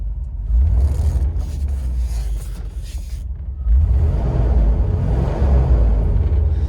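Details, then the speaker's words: 1988 Range Rover Classic SWB V8, 108k miles: low even rumble with no knocks, ticks or misses, quiet smooth idle though could use a tune-up, faint music in background; normal idle. "running very smoothly awesome Let's uh let's check out the interior all right let's jump in here real quick she's quiet"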